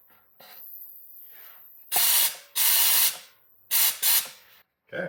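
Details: Trash-picked air compressor after fixing leaks and rebuilding the regulator, cut-off at 150 psi, regulator set about 80 psi: strong, even blow-gun bursts cutting off cleanly; good pressure and normal flow.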